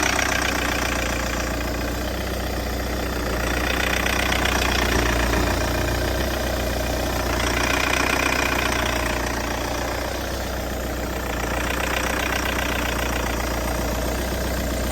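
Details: Peugeot 508 SW 2.0 Allure idling with rough knocking clatter and slow surging whoosh every few seconds, after stalling 20 seconds after start and restarting only with difficulty, with a warning message shown; cause unknown.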